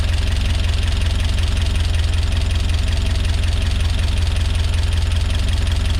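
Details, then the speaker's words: Peugeot 205 GTi with home-built Mi16 engine, first start after build, plenty of oil: fast, even ticking about 160 per minute over a rough idle, not clearing with gentle revs; top-end ticking, tappets suspected, cause unknown. "Right, yeah, fucking hell, really noisy in the top end. I'm not sure why."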